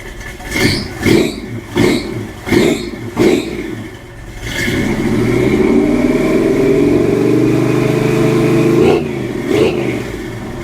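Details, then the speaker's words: 1966 Chevy C10 V8 with 3-inch exhaust and Flowmaster Delta 50 mufflers loosely fitted, not yet welded or clamped: sharp throttle blips, then a steady, smooth, deep and fairly quiet burble; a healthy exhaust note. "not terrible back here [Music] not bad nice and quiet up [Music] here that sounds pretty good actually kind of like it"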